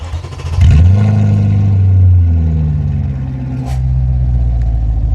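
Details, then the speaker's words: Audi RS4 B7 V8 with custom exhaust, straight pipe open at start-up until vacuum actuators close it after about 3 seconds: loud blip at start-up, then quieter steady low idle; normal cold start. "So also the other functions it it has is uh when you just start up the car, the screamer pipe the not the screamer, let's say the the straight pipe is actually open."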